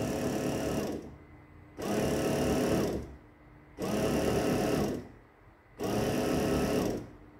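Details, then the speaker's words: Tesco BM1333 bread maker after replacing its broken, melted motor belt (the motor had run but the paddle didn't turn): the motor hums in even bursts about a second long with short pauses, with no slipping or squeal; the kneading drive now works normally. "okay so can you see that that's actually turning now i'll just let it run for a little while okay everything seems to be working"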